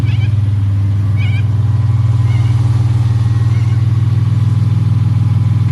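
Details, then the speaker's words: 1975 Toyota Crown MS85 with 2JZ engine swap, first start after fuel system and gas pedal work, new exhaust: steady, even idle with a smooth low beat of about four pulses a second, no knocks or misses; good oil pressure, no overheating. "guys you heard it she purrs like a kitten she runs good she sounds good"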